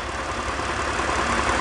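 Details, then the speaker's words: BMW E46 330i/325i petrol engine after a repair for P0171/P0174 lean codes, idling smoothly with a steady even hum and no hiss or stumble. Fuel trims are now normal. "but one thing is troubling me is my gauge is not reading actually I suppose it is reading normal when the vehicle is running hey result fuel trims are normal now"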